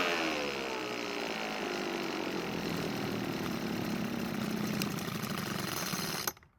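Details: Weedeater two-stroke leaf blower, revived after long storage with spark and compression good; buzzes at fairly steady high speed about six seconds then cuts off cleanly, running normally after carburetor cleaning.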